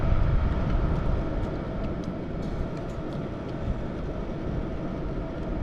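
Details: Hcalory TB Max diesel heater (IPX4-rated) running outdoors while sprinkled with water: steady low roar with crackles, and water hissing and sizzling on the hot rear exhaust pipe; it keeps burning normally.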